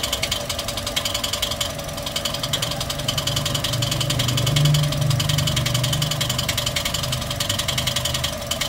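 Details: Toyota 1NR-FE engine at idle with a fast, light ticking at about three or four per second; valve train noise, cause not yet confirmed, disassembly underway to check the parts.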